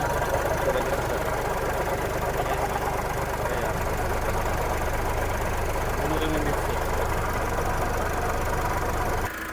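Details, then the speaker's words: Diesel engine at idle with the belts on, replaying the earlier noise that began in December and worsened: a steady light knock about three a second over the clatter; it disappears with the belt removed. "O ito mga kapatid ha. Paririnig ko sa inyo yung ingay kanina."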